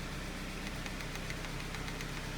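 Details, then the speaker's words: Honda CR-V B20B engine after a head gasket replacement, with mechanical and ignition timing set: starts right up and holds a steady, even idle with a smooth low hum and faint light ticking; normal idle. "Starts right up, no problems."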